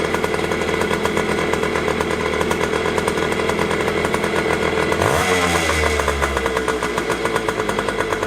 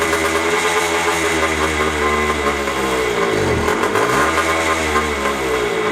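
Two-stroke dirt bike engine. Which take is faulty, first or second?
second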